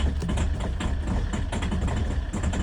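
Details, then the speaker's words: Citroen C5 diesel just started after a hard crank: loud, lumpy idle with an uneven clattering rattle, running rough until it clears, blamed on petrol contamination in the diesel. "So, it started. So, that's it started. Runs like a bag of crap"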